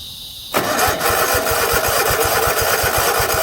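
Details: 50-inch Cub Cadet zero turn that sat a while, fuel tank low, catches on starting spray and runs ragged at about four uneven beats a second: fuel is cut off at the carb by an unpowered fuel shut-off solenoid.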